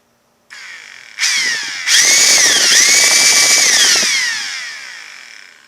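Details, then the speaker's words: Ryobi P738 inflator that won't start normally, started by partially pressing the trigger several times then locking it on full; motor catches in two short hesitant steps then climbs to a steady high whine; not switch or batteries, suspected handle electronics or motor. "But by partially depressing the trigger several times to get the motor to start to turn over, then hit it and lock it on to full, then it appears that it will"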